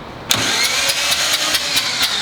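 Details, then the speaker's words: Mazda single-rotor rotary engine, first start attempt after installation: a harsh, raspy starter whirr with even pulses about four a second and no firing. Compression is low but even (not measured, no tester), and the starter sounds bad. "but the compressible rock annoys Jeff it was good it was even it was solid if it's low on compression at least it's even so I don't think it's an issue"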